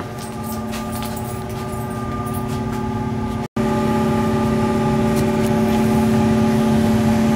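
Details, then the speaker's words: Old Carrier AC system after replacing a smoked furnace fuse, furnace kicked on: even steady hum with constant low tone, no knocks or rattles; running normally. "something's running sounds like it's running now"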